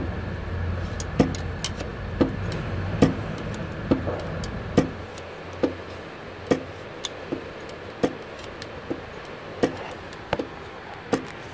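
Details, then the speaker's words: Toyota Corolla with an engine rebuilt by a previous mechanic: sharp irregular knocks about once a second at idle from the crankshaft, with play at the crank pulley. Cause inside is uncertain, possibly a bearing or a dropped thrust washer. "o virabrequim sopro mas não é a poli as outras mesmo que mostrada não é lá dentro virabrequim batendo"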